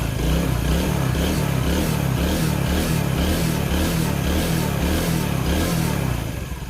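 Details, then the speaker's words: Yamaha Vega ZR motorcycle with a freshly assembled engine: choke off with light throttle blips. Smooth, even exhaust pulses with no knocks or rattles; engine running smooth with oil spraying as checked. "Oke, ini udah nyala dan mesin udah halus, oli nyembur."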